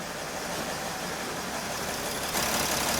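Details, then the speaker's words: 2013 Mercedes Sprinter 3.0L diesel with cylinder misfire codes P0301 and P16C200, running rough and losing power: uneven, stumbling idle under hissy engine-bay roar with exhaust shaking; bad misfire, cause not yet found. "so this engine is misfiring very badly okay look at this silencer you see how these silencer is shaking yeah this thing is misfiring really really badly"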